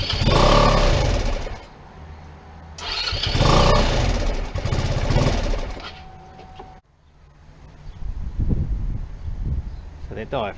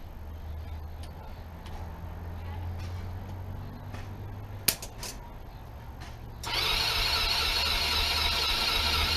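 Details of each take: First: PGO T-Rex 150 scooter, about 2012, not run in years: it catches, surges unevenly, dies and sputters back. A cracked part that may not seal is suspected. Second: PGO T-Rex 150 scooter (about 2012), unused for years, on first start after its fully blocked carburettor jets were cleaned: even single-cylinder thumps, then a clean pick-up to a smooth, higher buzz once the idle was adjusted; still needs a tune-up.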